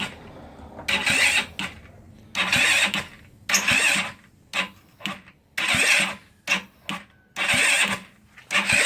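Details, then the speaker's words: GY6 scooter engine after top-end work, oil refilled and spark plug refitted, first crank test on a charger: repeated short starter bursts stopping after about a second, no firing; cranks but won't start, possibly cam chain too tight or weak battery. "You see here it's spinning, but it's not kicking over yet."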